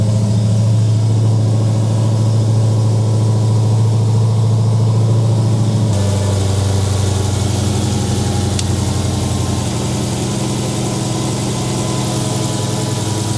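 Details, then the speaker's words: Supercharged Dodge Demon started after a Mighty Mouse Gen 6 oil catch can install: the engine catches and settles into a steady, even low rumble with no knocks or ticks; a normal start and idle. "Alright, it's on and running. Everything seems fine so far."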